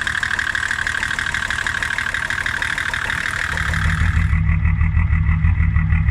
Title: Diesel shakes and runs rough - bad Injection Pump Quantity Adjuster